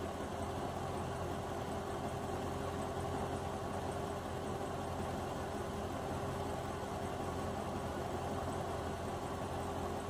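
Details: Chevrolet Corvette C6 after a rough-idle repair, with no fault codes on rescan: quiet, even idle with a steady low hum and no misses, knocks or hunting over ten seconds. The engine runs smooth.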